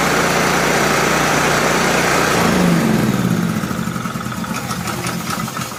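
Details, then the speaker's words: Honda generator engine converted from pull start to electric start, cold outside, on choke, started from a battery charger: short start settling right away into a steady, even idle with no misses or knocks; normal start and idle. "I'm just using my big battery charger to start this with. So I'll show you that it runs."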